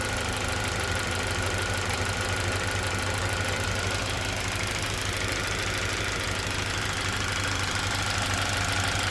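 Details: Toyota Verso 1.8 2ZR-FAE Valvematic with LPG, 180,000 km: idle beats unevenly at about three pulses a second and shakes. Cylinder 4 misfires occasionally; compression about 13 bar, plugs, coils and injectors fine, no intake leaks or codes; cause unknown.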